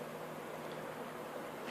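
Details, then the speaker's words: Honeywell tower fan after cleaning and lubrication, restarted: no hesitation at startup, soft steady airy hiss with no ticking, rubbing or wobble; one motor drives both fan and oscillation; running like new. "Let's start it again. No hesitation. There you go. This puppy's brand new."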